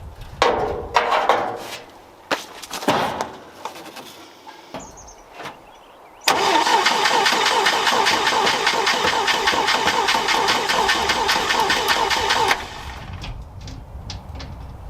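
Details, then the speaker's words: 1964 International Scout 80 with non-working choke cable: strong, even starter cranking about six seconds, compression beats steady near two and a half per second; good steady crank. Normal cranking. "That's a good sign. But some nice steady crank, though. Yeah. All right. So we got a good, steady crank."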